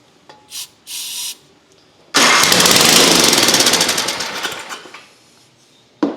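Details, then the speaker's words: Long-neglected Ariens ST824 snowthrower (8 hp, 24 in): starting fluid sprayed into the intake, key on, electric start. A few starter clicks, then it runs roughly for about three seconds and dies. It runs only on starting fluid; the carburetor is stuck. "so I'm going to spray some starting fluid right in the intake hole there and hit this electric start I got the key on"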